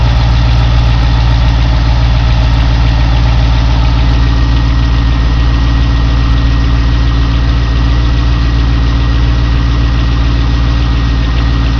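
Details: 2002 Corvette Z06 V8 idling with a deep steady rumble and a light, fairly regular tick, clearer toward the end; owner unsure whether it is an exhaust leak or lifter tick.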